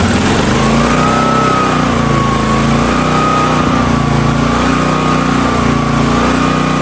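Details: Hotsy steam pressure washer with 16 hp gas engine, bought non-running: small engine drones steadily with even pump hum, no knocks or misses; pump builds pressure though gauge doesn't work and outlet suspected plugged.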